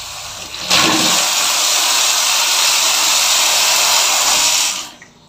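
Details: Shimizu electric water pump after repairing a shorted cable (was not delivering water, no motor rewind needed), heard at bathroom tap: strong, steady rush of water about four seconds then stops; good pressure, normal flow.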